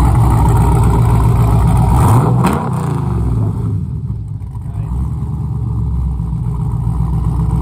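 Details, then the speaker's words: Firebird Trans Am with newly built LQ4 408ci stroker V8, stage 3 big cam, solid motor mounts, first drive, still breaking in: deep choppy lumpy-cam V8 burble revving and settling cleanly; healthy fresh engine. "well guys that's the sound of a newly built 408 stroker if you just never heard one i guess on youtube before"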